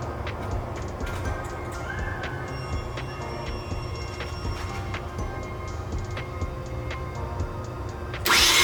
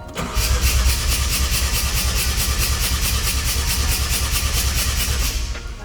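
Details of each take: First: Mazda RX-7 FD 13B turbo rotary, warmed up, plugs out for compression test, cranking on a bigger fully charged battery: sluggish, dragging low cranking speed that never picks up; owner attributes low cranking rpm to a bad starter. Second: Mazda RX-7 FD rotary, warmed up, plugs out for compression test: even, quick cranking about three pulses a second, no dragging; measured about 275 rpm.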